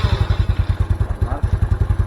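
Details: Mio Soul scooter after cylinder head rebuild and spark plug hole repair for lost compression, valves checked: even thumping idle at about eight pulses a second with no misses or clatter; runs smooth after repair.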